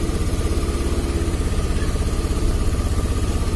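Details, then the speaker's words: Scooter engine idling after a connection was unplugged to test a suspected weak-battery or intermittent connection fault; fuel pressure reads normal, even steady low putter with no misses or surges: normal idle. "Oke, sekarang coba kita lihat. Nah, normal toh, normal ya."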